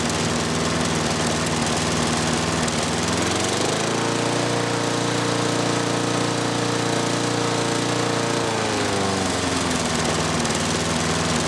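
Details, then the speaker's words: 6 hp Briggs & Stratton mower on Murray deck after governor rod bent and spring shortened: idles low, climbs to higher steady hum then drops back; normal running at raised governed speed. "Okay. I hope you could even hear a difference. I think you can."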